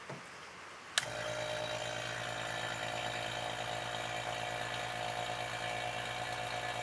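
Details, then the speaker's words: Vacuum pump evacuating a truck's AC system during DIY repair, low side open, gauge pulling toward 29-30: steady even drone with constant hum after switch-on, no knocks or surging; normal vacuum pump operation. "And then we run the vacuum. And hopefully we see some vacuum up here."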